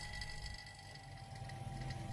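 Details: Vacuum pump evacuating a two-door refrigerator after compressor replacement, manifold valves open, gauge at -30: even, steady drone with a thin constant tone, no gurgle or knock; smooth normal running.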